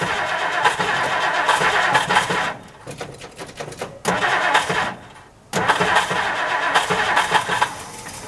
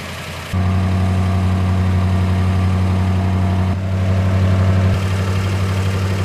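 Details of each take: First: 1960 Plymouth Fury unused for years, cold start on stale gas with some fresh gas added: long cranking bursts with gaps, then it stumbles and catches. Hard start blamed on old gas, a non-working accelerator pump and a misset choke. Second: 1960 Plymouth Fury, just cold-started after years unused on stale gas, with the accelerator pump not working and the choke misset: catches into a smooth, even idle with no misses, then revs cleanly. Running well.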